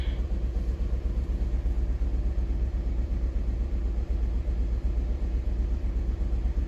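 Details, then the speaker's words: 2018 Fiat 500 with about 20,000 miles, after tank filled with diesel: deep lumpy idle stumbling about three times a second like running on three cylinders, check engine light flashing, rich condition; diesel damaged spark plugs, debris damaged valves, losing compression. "ahí está arrancando pero está fallando como que si estuviera trabajando sobre 3 lindroos"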